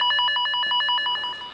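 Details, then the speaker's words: Tone tracer probe held near de-energised cables (generator connected to the target cable): rapid warbling tone pulsing about eight times a second, fading as the probe moves away, locating the target among cables running upward. "ici ça sonne. C'est un des deux. Tu vois? Non, c'est un de ces câbles qui partent là-haut."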